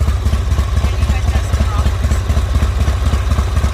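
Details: Owner-built Harley V-twin at idle: loose, lumpy potato thump at about two beats a second, steady and even with no knocks or ticks. The owner sees nothing wrong; healthy idle.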